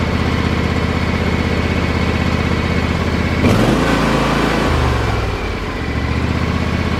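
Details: John Deere X324 four-wheel-steer mower that had sat as a no-start, with the fuel pump reconnected, choke up and full throttle: the single-cylinder engine catches after a brief crank and settles into a steady, even run; normal start.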